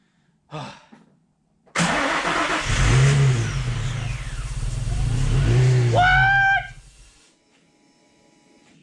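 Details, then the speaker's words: Nissan 350Z, first start after no-start troubleshooting. It catches at once, takes two quick throttle blips and keeps running; idle is nearly nonexistent, probably from bad fuel, and the muffler sounds poor. Engine starts and runs. "all right idle is terrible non-existent but it's probably cuz of the bad feel how it runs it runs it runs and it sounds good well the muffler doesn't we'll fix that"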